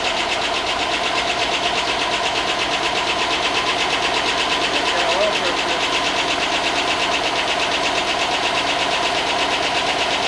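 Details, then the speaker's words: Chevy Tahoe 5.3 LS V8, long unused, on first start after corroded grounds were fixed: a fast, even light tick rides over the idle and follows engine speed; the owner hopes the lifters will pump up, since the oil is good. Cause not confirmed. "Well, it hasn't run in a long time, so hopefully the lifters pump up and that noise goes away. Because it's got good oil."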